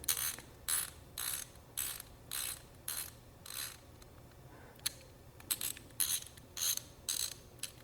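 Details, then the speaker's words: Ratchet wrench after disassembly, cleaning and fresh grease: soft, muted clicks in short bursts, super quiet and normal; less grease would make it louder. "this is the one that I did yesterday so it's like super quiet I mean you could put a little less grease in it and it'll sound a little bit louder it's up to you"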